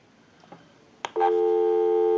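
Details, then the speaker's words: Wooden wall 317A crank telephone after repair and conversion, final checkout calling a busy number: after a click, a clean, steady dual-pitch busy signal comes through the handset. "we'll call one other number we'll call my number and it'll be busy"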